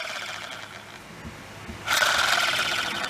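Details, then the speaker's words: Plastic Zebco 404 reel after disassembly and greasing gears with silicone grease plus penetrating spray: light even whirring with fine rapid ticking as handle turns; spins freer, healthy. "I know that silicone grease is waterproof it to me it's a lot freer spinner"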